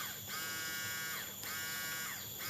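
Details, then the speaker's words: Honda Beat eSP injected scooter with no-start: fuel pump unplugged and wired directly to the battery gives a steady high electric buzz and constant whine, so the pump motor works; fault suspected in the socket or supply side. "sekarang kita coba dulu karena full pumnya bunyi setelah dilangsungkan ke Aki"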